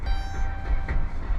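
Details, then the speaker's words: Dodge Ram van, Chrysler 3.6 engine, overheated and cooked at about 152,367 miles, number four spark plug removed: uneven low chuck-chuck pulses over rough running as the cylinder puffs through the open plug hole; dead-cylinder misfire. "yeah you hear that Chuck Chuck Chuck that's cuz I do not have a spark plug in number four"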